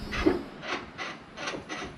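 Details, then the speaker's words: LQ9 LS-swapped Squarebody C10 truck after fixing a miswired ignition wire, with new OEM pedal and TAC module: key on, soft rasping whirs in short bursts as the throttle blade moves. Electronic throttle body actuating normally. "so i'm just turning keep on and it's actually moving"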